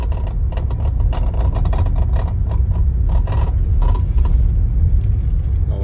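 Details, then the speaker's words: Worn steering column damper in the electric power steering column of a 2016 Toyota Camry, heard inside the dashboard while driving on rough pavement: irregular light rattles and clicks above road rumble, quiet on smooth road. "keep driving on the rough road it only happens when you're on a rough road on a rough surface of the road"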